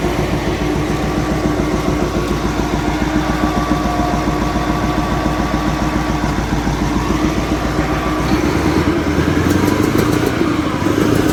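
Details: Caterpillar 988F2 wheel loader diesel after repairing cylinder 5, whose broken injector hold-down bolt let the injector pop up and leak fuel, causing knocking, black smoke and hard starting: steady, even idle with no knock, running normally.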